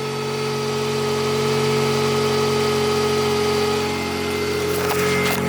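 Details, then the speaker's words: Car warming up at idle with HID headlights on and flickering: thin constant whine over the engine, unchanging pitch; alternator suspected, unconfirmed. "that's what the mighty sea is doing that the headlights the HIDs are flickering and you can hear the whiny noise"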